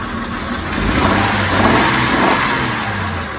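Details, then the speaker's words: High-mileage Honda petrol engine during a power-balance misfire test: light revving with an uneven, stumbling beat, the misfire still present after a swap; spark plug next, with an injector or fuel problem also possible. "yep she's still got misfire not i don't know if it's quite as bad but it still feels like it's missing to me"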